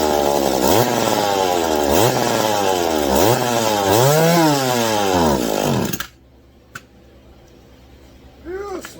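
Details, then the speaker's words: McCulloch Mac 110 chainsaw test-fired before full reassembly with throttle held open: revs surge and sag about once a second, smoking, then dies; carburetor flooding and running out, carburetor kit likely needed. "smoking yeah obviously we have more carburetor issues cuz she is flooding she's flooding and she's running out"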